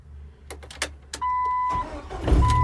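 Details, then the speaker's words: 1998 Jeep TJ Wrangler after cleaning a loose battery terminal and corroded starter wire: a few clicks and short chime, then engine catches at once and runs evenly; normal start, intermittent no-start blamed on failing ignition switch. "right, it's starting right up. No hesitation at all."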